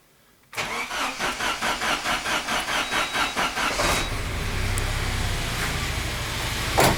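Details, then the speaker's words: 409 engine just after start: a steady knock about twice a second that changes with engine speed, not rods or pins, then settles; traced to a cracked drive belt slapping. "двигателе о слышно было с такой с амплитудой вот так примерно то есть не шатуны не пальцы но звучит что-то вместе с двигателем и совпадает с оборотами то есть меняешь обороты меняется и амплитуда"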